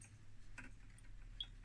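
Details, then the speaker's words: 1978 Furuno FE-300A 200 kHz depth recorder, running after a mechanical fix. A single crisp click over a quiet, steady motor hum is the normal start-of-pulse contact as the stylus sweeps the heat-sensitive paper. "oh did you hear that that was a click here that click that is the start of pulse signal"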